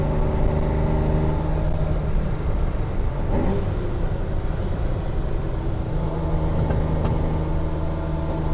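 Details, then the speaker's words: Ferrari 330GT Series II with very old fuel, revving under hard acceleration with sharp snapping and popping; carburetors lean, mixture screws likely need richening, vacuum leaks also suspected given slow-returning idle. "yeah yep you definitely hear that snapping snapping and popping check it when we get back probably just needs the uh mixture screws need to come out a little bit"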